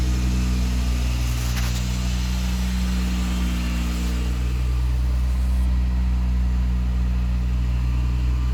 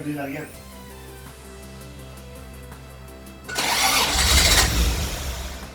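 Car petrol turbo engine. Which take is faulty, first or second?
second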